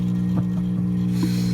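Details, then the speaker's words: Philco stereophonic tube record player, before restoration: loud steady low mains hum unaffected by the volume control, from a dried-out filter capacitor in the amplifier needing recapping; grinding idler wheel leaves the platter not spinning. "And if you notice, the volume doesn't affect the level of the hum. So we'll talk about that here in a minute."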